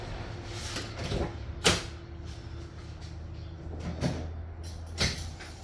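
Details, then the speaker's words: Pontiac Fiero idling with the A/C on and gauges attached: the engine dips and bogs with a clunk as the compressor kicks in while low-side pressure drops instead of holding steady; low refrigerant is causing compressor short cycling. "you hear the engine change so when that when it drops it bogs down that's the compressor comes on and pressure drops it shouldn't be dropping it should be staying consistent"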